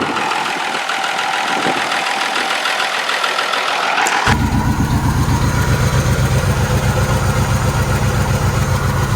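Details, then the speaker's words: 1980 Jeep J20 pickup V8, sat abandoned 13 years: hiss and clatter, then lumpy steady idle only on fuel poured into the carburettor; fuel delivery issue suspected, not confirmed. "it runs it runs it's probably gonna run out damp there kosis yeah so we definitely have a fuel issue"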